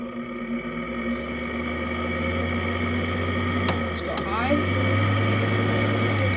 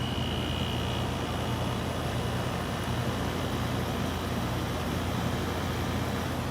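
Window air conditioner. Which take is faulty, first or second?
first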